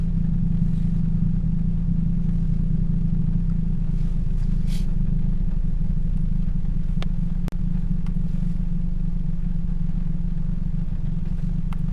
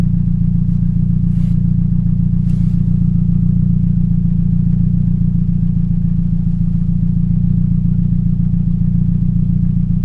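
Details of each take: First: 2007 Toyota Yaris 1.5L 1NZ-FE four-cylinder; steady, even low idle hum with no stumbles or missed beats, all cylinders firing smoothly. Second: 2007 Toyota Yaris 1.5L 1NZ-FE: low idle with a steady stumble a little over twice a second, a suspected misfire.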